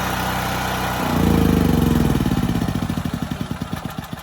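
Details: FIRMAN 9400 dual fuel generator on gasoline, warm electric start without choke: catches and settles to even steady beat about four pulses a second, no misses; healthy idle.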